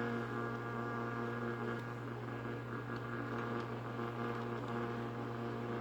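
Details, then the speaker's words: Early-1960s FoMoCo car radio on the bench, no cover: steady buzzing hum with faint crackle, no station; owner says a nearby fan and the camera cause electrical interference drowning out stations, which were heard faintly off camera. "unfortunately there's a fan in the background and this camera provide enough electrical interference to drown out the stations now it was still popping and fizzing extremely bad off camera"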